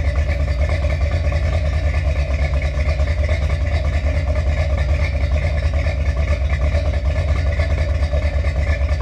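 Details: Finished 1977 Corvette C3 with number-matching steel-crank 4-bolt-main 350 V8 after a two-year restoration: deep, even burble with steady lope at idle, no knocks or ticks on top; healthy, smooth idle.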